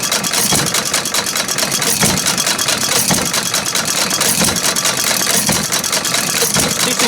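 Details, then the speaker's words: Ford 800 engine running with a busy rattle and a recurring metallic bang about every couple of seconds as the governor hits its arm. "that rattling the bang bang bang bang you hear there's a governor we hitting that arm"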